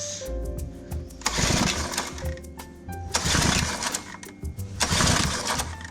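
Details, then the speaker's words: Honda Holiday FG201H tiller engine after repair and reassembly: three recoil pulls about two seconds apart, engine rattles over but never catches; won't start, accelerator/throttle part suspected, not confirmed. "Start नहीं हो रहा CRC डालकर एक बार फिर कोशिश करता हूँ"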